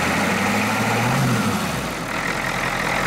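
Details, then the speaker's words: 1991 Ford F250 IDI diesel, fresh air filter, idling where it previously would stall. Steady even diesel clatter, no stumbling or dips in rhythm; idling smoothly and holding speed, purring. "you go she's purring"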